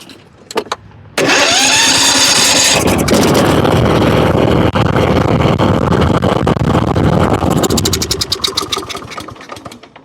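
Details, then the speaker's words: Kohler Courage engine on a Husqvarna riding mower after blowing out debris with brake cleaner: starter catches, engine fires at once and settles into an even, steady run. "I think we got it fixed"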